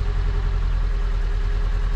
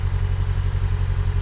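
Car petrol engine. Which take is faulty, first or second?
first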